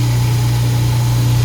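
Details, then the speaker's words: Apartment garbage disposal running with water after repair of under-sink leak: steady low motor hum with buzzing shake underneath; technician thinks vibration loosened the connection, not confirmed; excessive vibration. "See that vibration? Vibrates a little bit. I think that's what loosened it in the first place."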